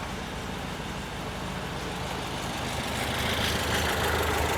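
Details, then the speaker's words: 1968 VW Type 3 with freshly installed 1835cc air-cooled flat-four, just started, cold and warming up: steady idle with an even pulse, a touch slow and lazy; idle speed a little low and wants bumping up slightly. "It's spot on, but a little low. Going to let it run, warm up."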